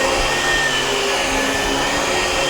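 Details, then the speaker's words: Dyson DC17 upright vacuum after the brushbar and belt were replaced, where it had rattled badly before: a steady, even motor whine with airflow rush and no rattling. It now runs much quieter. "brush roll and belt is replaced now let's plug it in and see if it sounds any better much quieter"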